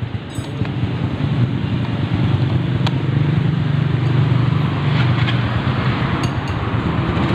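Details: Mio Soul i 125 scooter after starter relay wiring fix, no longer self-starting at key-on: fires and settles into an even, low putter with no misses or knocks; normal idle.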